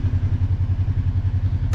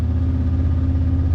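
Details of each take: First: Kawasaki KRX 1000 after throttle position sensor readjustment fixed high idle: steady low thumping idle at an even beat, about twelve pulses a second, no hunting or surging; normal idle. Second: Kawasaki KRX UTV in gear at a fast, steady high idle with a deep even drone; transmission refuses to shift to the next gear at that idle, needing engine off to shift.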